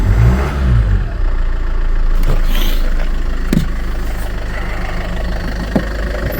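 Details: Land Rover Freelander 2 after throttle body fix; catches quickly, steady even idle with a few stray clicks; running smoothly, fix not yet confirmed by driving, usual shut-off noise seems gone.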